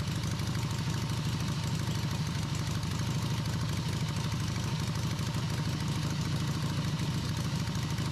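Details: Harley V-twin in an off-road trike build, first run after the owner's own engine rebuild. A deep, lumpy idle at about three beats a second holds steady on its own, with a carb fitted. It started once the ignition timing was significantly advanced; normal idle.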